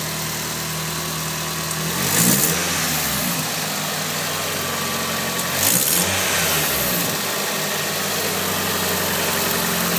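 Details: Nissan SR20DET with T28 turbo: fast, sharp ticking of about four per second over the idle and through two brief revs; owner suspects a bad exhaust leak where the T28 flange bolts to the manifold, unconfirmed.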